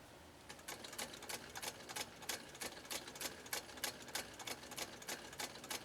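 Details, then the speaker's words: 1922 Singer 99K hand-crank sewing machine stitching: light, even ticking about three per second with a soft, quiet hum underneath; running smoothly and healthy. "that is pretty quiet don't you think you can hear just a little bit of a hum but it's not a loud hum it's not a an obnoxious type hum it's just a hum"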